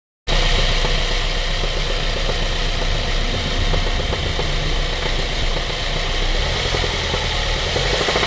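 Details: 2004 Honda Civic Type R EP3 at idle: a faint, fairly even light knock from inside the engine; cause not yet pinned down.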